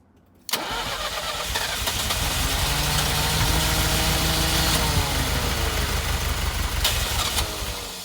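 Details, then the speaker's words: 1983 Ferrari 308 QV V8 under restoration, fuel system and metering unit being worked on: starter cranks, then the engine catches and runs briefly, lumpy and uneven; misfire with no spark to cylinder number one, other seven sparking. "But the car is gradually wanting to fire up. It's running a little bit."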